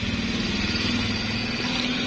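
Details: Honda Beat carburetted scooter with a newly fitted hidden safety switch on the pulser wire, set to off so the engine can run: steady, even putter at a fast idle with no misses, knocks or rattles. Normal idle.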